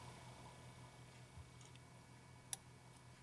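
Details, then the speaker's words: 2004 Honda Accord EX 2.4L 4-cylinder with a P0443 code: a brand-new, unmounted EVAP purge solenoid is commanded on and off by scan tool. It stays nearly silent when on, then gives a single light, crisp click off, indicating it is working. "on you can see it doesn't make a whole lot of sound when it's on but then you can hear it click off so you can see just makes a little bit of a clicking sound but that's a that's a real good indication that it's working it's not foolproof but it's definitely a good indication"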